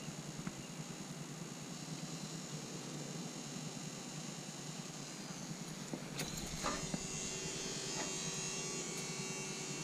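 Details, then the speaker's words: Wrecked rollover rebuild after rewiring, with one battery plugged in: a faint, steady high whine starts once power is connected. The owner suspects the alternator, but the source is not yet traced. "when I plug this one in something over here starts making a noise I think it's the alternator"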